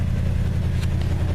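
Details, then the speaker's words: 1974 Ford F250 with 390 cubic inch V8, cold start after about 20 years not running, no oil pressure showing on gauge yet: steady low idle with an even beat, no knocks or misses; runs well. "as you can hear sounds like it's running good"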